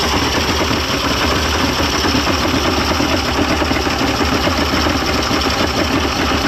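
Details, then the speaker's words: 1995 Mercury 200hp XR6 Blackmax two-stroke outboard, after timing adjustment and clearing carb jets: steady even burble at idle, no misses, knocks or surging; runs much better than yesterday, normal idle. "it didn't sound like that yesterday at all I mean it actually sounds like it's like ready to go"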